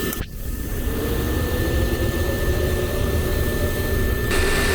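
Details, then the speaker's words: Lanair MX 300 (300,000 BTU) waste oil heater burning used oil, started by thermostat after its yearly cleaning; the burner catches right away and settles into a steady, even roar with a faint tone; a good flame. "that's a nice good flame, as you can see from this little chart here."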